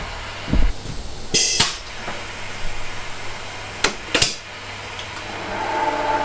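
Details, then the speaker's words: Fiat 500 F 499cc engine head rebuild, valve seat being cut with a radius-end cutter: steady, even whirr with a few handling clanks and no chatter, meaning a very even cut, the tool centralising itself in exactly the same place. "As you can hear, very even cut, so it centralised itself in exactly the same place."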